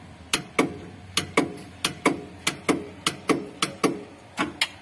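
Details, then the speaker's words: Mitsubishi L300 diesel suddenly won't start: rapid starter clicks about three a second, engine not turning; flat battery caused by a broken alternator charging cable. "kedengaran untuk para staternya kurang lebih seperti itu ya hanya terdengar suara teks-teks seperti itu tapi untuk Mesinnya tidak berputar"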